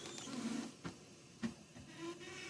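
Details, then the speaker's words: 1995 Mercedes E300 power antenna motor straining after the radio code was entered: faint whirring hum with dull clicks, stopping and starting without extending; previous owner said the antenna was bad. "Oh man. The antenna is trying to do something."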